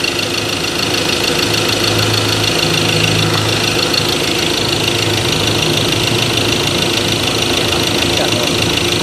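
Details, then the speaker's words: Ford Ranger 2.2 diesel, shaking after 3–4 minutes idle, cylinder 3 injector circuit code, wiring found intact: uneven clatter with loping shake, slight knock on revving. "แต่พอผ่านไปสัก3-4นาทีนะครับเครื่องยนต์จะเริ่มมีอาการเขย่าขึ้นมานะฮะ"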